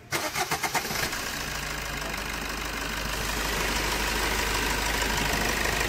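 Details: Maruti Suzuki Swift with complaints of engine knocking, low mileage and poor pickup. A second of cranking, then the petrol engine catches and settles into a smooth, knock-free idle: normal engine start.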